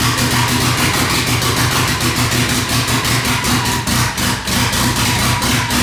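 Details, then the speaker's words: Mitsubishi Evo 9 built motor with new turbo setup, first start: no downpipe, vacuum lines temporarily capped. Loud raspy open-exhaust idle with uneven hunting pulses; rough idle, possibly a vacuum leak. "just temporary so we can see if it'll idle it's going to sound like [ __ ] we have no downpipe or anything"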